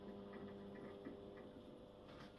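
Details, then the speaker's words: Fluorescent fixture with a magnetic ballast for T12 tubes: only a faint, low steady mains hum after felt pads were put under the previously noisy ballast and it was screwed back down; now running quietly. "voilà donc c'est très là le Balas ne fait plus de bruit vous entendez le silence"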